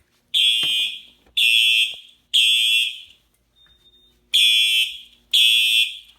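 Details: Home fire alarm system test, alarm set off by a detector downstairs: a loud shrill tone in one-second blasts about once a second, pausing briefly then resuming. The alarm sounds as it should.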